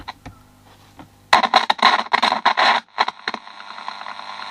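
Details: Copal fluorescent display clock radio with liquid over the volume control: loud, irregular crackling bursts as volume is turned; scratchy, dirty volume potentiometer.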